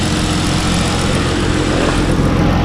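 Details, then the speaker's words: First start after installing upper and lower intake manifolds, an 80mm throttle body and new coil packs, hot day with AC on: smooth, steady idle with a full, even exhaust note and no stumble or ticking; running normally. "so first time cranking up it sounds good sounds like we couldn't stay getting close to our goal"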